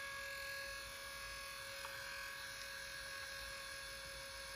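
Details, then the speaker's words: Aiwa HS-J505 cassette walkman with amorphous HX head, brought in for not playing tapes: steady, piercing high whine with several fixed tones as the tape motor runs, a loud screaming motor, and no audio output. "yeah maybe let's stop them and it is screaming"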